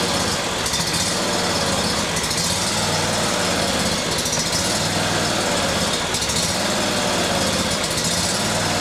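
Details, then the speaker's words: Serviced Briggs & Stratton Vanguard 37hp big block EFI twin with new plugs, filters, oil and fresh gas, no trouble codes: slow rise-and-fall lope at idle; high-pressure fuel pump spec about 39 psi. "but it's got a lope, a distinctive surge when you first crank it up, and I'll show you here in just a second."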